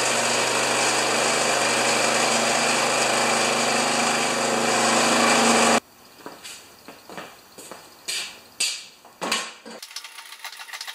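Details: Old Briggs & Stratton lawn mower with thatcher/aerator attachment, clean air filter, oil not yet changed: starts and runs at a steady even buzz for about six seconds, then cuts out to handling noises; sounds healthy, normal running.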